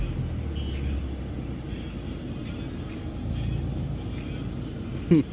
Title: Audi a4 exhaust leak burble 😮‍💨 #audia4 #b5 #1.8t